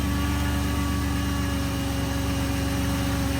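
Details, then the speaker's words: 1998 Chrysler Town & Country idling after a no-start from a blowing 20A ASD fuse; the alternator plug was cleaned with WD40 and a new fuse fitted; even, steady idle with no stumble, misfire or ticking, running normally. "Okay, as you can see the car works good."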